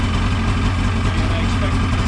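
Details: Ski-Doo 550F two-stroke snowmobile engine at idle after cylinder reassembly, a repair for two broken cylinder studs. It started after pulls with the choke off. The idle is even and steady with no knocking or rattling, and sounds good.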